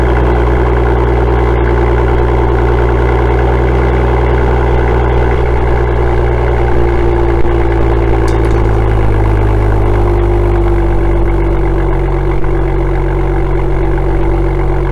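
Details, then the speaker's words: BMW M2 (N55) M Performance exhaust at cold start after the fix: tips wrapped in aluminum foil tape for a snug fit, tapped on and Allen bolts tightened; deep steady even idle, the vibrating rattle is gone. "as you can hear the vibrating noise is now gone it's an easy fix and you can easily do it yourself"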